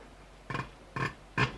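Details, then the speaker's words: Fordson Major diesel injector on a hand pop tester: three sharp chirps about half a second apart as the pump is squeezed, the injector opening rapidly and atomizing fuel properly. "so when we squeeze the pump this injector is what we call it cheaps or it chirs like a bird which is it open and closing rapidly and and vaporizing the the diesel"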